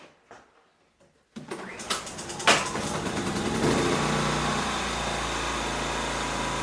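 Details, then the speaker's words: Ryobi RIG2000 inverter generator after a service (oil change, float chamber drained, air filter checked), started with auto idle on: a few pulls and clatters, then it catches and settles into a steady, even buzz; runs smoothly at idle. "so we're up and running."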